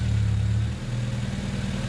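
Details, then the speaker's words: 1993 Honda Accord CB7 H22A at idle after power steering pump replacement, filled while turning the pump: steady smooth drone with no whine or groan; healthy power steering pump, no leaks, no noise. "Anyway, this is what a power ser pump should sound like. Sounds great. No leaks, no line, no noise."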